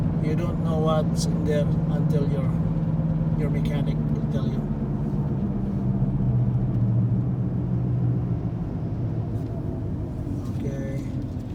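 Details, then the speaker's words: 2014 Ford Escape with only 75,000 km, cruising: low droning hum steadily under road noise from the front driver-side wheel, noticeable from about 80 km/h; mechanic diagnosed a worn front wheel bearing. "see you can still hear the sound it's not normal it's some kind of you know and this car is has only 75 000 kilometers in it"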